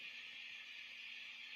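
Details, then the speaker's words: 1996 Peavey 5150 2x12 combo amp with fluctuating volume and wave sounds on standby switching: steady high hiss around 2–4 kHz with faint irregular pops; capacitors and resistors later replaced. "Yeah, you hear that? Real staticky. Hear some popping,"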